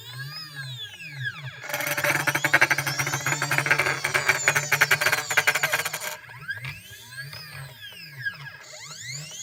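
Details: CNC stepper motors (drivers at 0.3 Vref, potentiometers at max) give rising and falling whining sweeps as the axes move, with a harsh buzzy grind mid-run; grinding noise, cause unknown.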